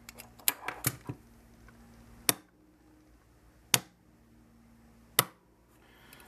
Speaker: you can hear uh from the clicking sound that the valves are being opened or closed so first one second one that's the third one and this is fourth one